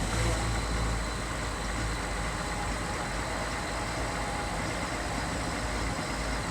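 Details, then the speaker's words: 2020 Chevrolet Silverado 3.0 Duramax diesel, remote cold start at 16–20°F; steady idle with a faint wander and some diesel clatter before the high idle kicks in. This is normal warm-up behaviour. "Little tiny bit of stumbling there. I mean, it's not really stumbling, there's just a little bit of wandering. You can hear a little bit more of the diesel noise, clatter."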